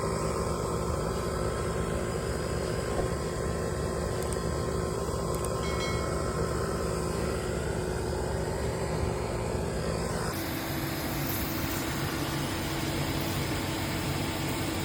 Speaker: Customer states, my car started making this odd noise and started smoking a bit.